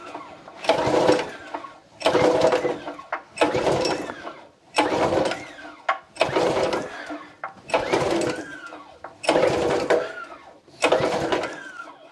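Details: Bocart Danish off-road go-kart with a Honda GX160 5.5 hp four-stroke, parked 10 years: about seven recoil pulls in twelve seconds, rasping spins with no firing; crank no-start, with healthy spark and old fuel suspected of gumming the carburetor.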